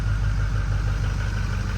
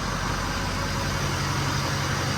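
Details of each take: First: 2005 Ford F250 6.0 Powerstroke diesel that ran rough, then would not start: after priming and refilling the tank, it settles into a steady, deep, smooth rumble; the no-start was fuel starvation from an empty tank. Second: 2005 Ford F250 6.0 Powerstroke diesel after fuel tank pickup repair and pump priming, quarter tank of fuel: steady, even idle with regular settled clatter, no misses or surging. Normal idle after fix.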